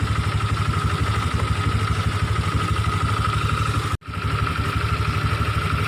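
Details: Honda Vario 125/150 scooter idling: rough constant growling/snoring noise over the engine from the radiator cooling fan, before repair to make it smooth.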